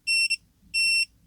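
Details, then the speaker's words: Milwaukee M12 C12DD drill that won't run: continuity beeps testing a MOSFET off circuit show all pads shorted together; MOSFET dead. "Okay, so we can see this one is really gone. All pads are connected all together, so it's not okay."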